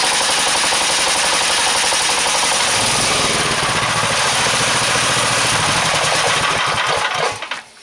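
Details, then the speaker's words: Engine driving a DC generator, with the load switch thrown and the throttle opened fully at once after it made 55.5 volts at 930 RPM: firing pulses drop lower and slower as it lugs down under too much load, then fade out. "okay what I did was I threw the switch and turned the um throttle up all all the way at the same time you saw what happened it just lugged right down"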